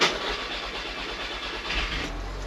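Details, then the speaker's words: Audi TT S Mk2 8J roadster, manual, after full service with new spark plugs and fuel filter; several slow cranking turns before catching and settling to idle, hesitant start because the fuel system is refilling after the filter change. "little bit of a hesitant start, but that's because we've done the fuel filter."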